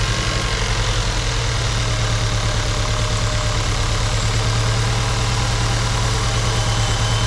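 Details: Seat Cupra 2.0 TSI (CJX) with forged internals, first start after rebuild, after oil pressure was built by cranking with the coils disconnected. It settles into a steady, even idle with a smooth low rumble and no knock or rattle while warming. Normal idle.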